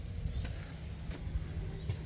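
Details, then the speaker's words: 1978 Chevrolet K20 sat for years, key on, engine not cranking: steady low hum from the dash as the heater blower motor runs; blower motor running while starter gets no response. "sounds like the blower motor is on yeah interesting"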